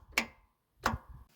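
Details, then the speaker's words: Zero-turn mower, battery at 12.5 V and solenoid input live: turning the key gives two sharp clicks with no cranking and no voltage at the solenoid output to the starter; solenoid suspected. "We're going to turn the key. Can you hear it click? I'm not getting any voltage."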